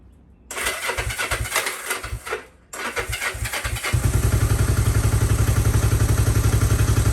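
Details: Unrestored 1972 Honda CB450 motorcycle, fresh SAE 10W-40 oil, in neutral on choke: choppy cranking bursts, a pause, then catches and settles into a steady, even firing beat; normal start.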